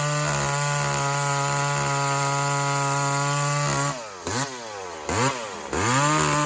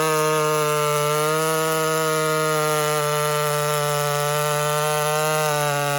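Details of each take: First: Walker-ported 850 chainsaw with 32-inch bar and hand-filed skip chain, about its second run, tuned rich for break-in; high steady note bogs hard twice in the cut then climbs back; rich carburetor setting. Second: Walker-ported 850 chainsaw, 32-inch bar, hand-filed chain with rakers lowered, running rich: steady high-pitched two-stroke scream at full throttle through the cut, no bogging or surging; cutting normally.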